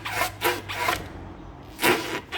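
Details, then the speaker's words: Citroën Aircross front suspension: short rasping creaks with each push from the lower control arm moving in a very loose worn bushing; all four control arm bushings are to be replaced. "essa bucha que ó como ela tá bem folgada essa outra e até tá mais ou menos mas eu vou trocar ela também já que eu tô com a balança fora"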